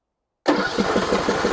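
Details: John Deere E100 riding mower that stopped while driving and let out a puff of smoke; quick even cranking with a tinny metallic noise, turning over but never firing. It has gas and about 35 hours.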